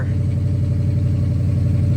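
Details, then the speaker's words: Supercharged 2004 Ford F-150 with 478,000 miles, first start after replacing blown PCM fuse 29 that caused no-crank no-start: steady low rumble with even firing, then shut off; runs cleanly. "well racetrack is back in Action um pretty simple fix if you know what you're looking for"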